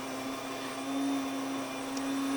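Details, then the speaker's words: Grain mill grinding 2 cups red and 1 cup white wheat berries: steady, even motor whine at one pitch with faint grain rattle; running smoothly under load. "I'm gonna let that finish grinding."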